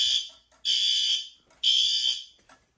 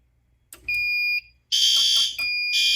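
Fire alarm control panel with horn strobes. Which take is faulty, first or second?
second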